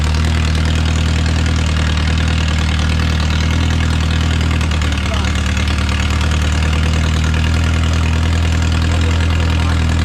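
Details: Original c. 1949–50 engine of a Renault 4CV (car a 1952; engine failed early 1950s with cracked block, weld-repaired), reassembled and run for the first time in ~70 years, warming up: steady low idle, even smooth beat, no knocks or misses, barely smoking; normal idle.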